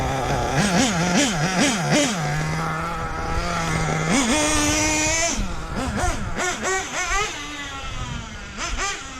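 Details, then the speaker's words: Hobao VS2 nitro RC buggy after tuning, near bottom of tank: engine blips cleanly and settles to steady idle, earlier double/secondary low-end idle and pinging gone; running properly. "that's good now this is what it's supposed to run like guys it's finally there [Music] see the double idle that secondary idle that was happening towards the low end it's not there now"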